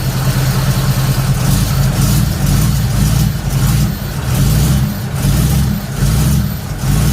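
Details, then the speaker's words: Third-gen Camaro small-block Chevy V8 with new Summit computer, ignition timing checked at about six degrees with timing light, revving in lazy uneven surges that never sharpen; better than yesterday but still not right, something holding it back; rough running. "it's better than yesterday but it's still not right"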